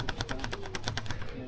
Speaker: What you often find with a cheap paddle is that they rattle a lot, whereas a more expensive one doesn't.